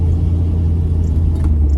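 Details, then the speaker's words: Pontiac Firebird after rear axle bearing replacement, on a test drive: only smooth steady low road rumble while accelerating and coasting, with the earlier grumbly growl from the rear axle now gone. "I don't hear grumble grumble. It's silent now. I don't know. Listen, hear that? It's silent when I coast now. That's actually a big improvement."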